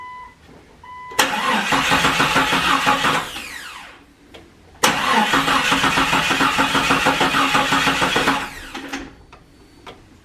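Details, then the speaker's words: 1997–2001 Jeep Cherokee XJ that won't start after a paint job, three hours into troubleshooting; two long cranking bursts at a steady three beats a second, never catches; crankshaft position sensor is the part addressed: crank, no start. "it just keeps on cranking cranking nothing"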